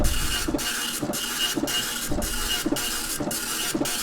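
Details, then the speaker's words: ImageWriter dot matrix printer self-test (form feed held at power-on), worn ink ribbon: buzzy print-head passes sweep back and forth about twice a second in even rhythm; printer mechanism works normally. "it is hold down the form feed button turn on the power let it go listen for that beautiful dot matrix printing"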